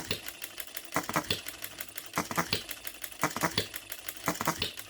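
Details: New, unadjusted OKMO Retrol B02 miniature petrol hit-and-miss engine on its first run, on shellite: sharp ticking bursts in clusters with quiet coasting gaps, an even fire-and-coast rhythm. Normal hit-and-miss running.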